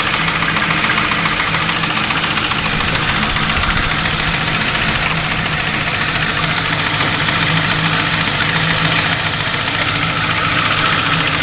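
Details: Ford Crown Victoria V8 idling with a light, fairly regular tick or knock after installing new heads, cams and all new timing parts.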